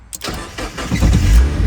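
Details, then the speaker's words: Mazda Miata abandoned over 10 years, after replacing failed fuel pump: short crank, then catches cleanly and settles into even low idle; now running. "A Miata that was abandoned for many years is now up and running and save another Miata."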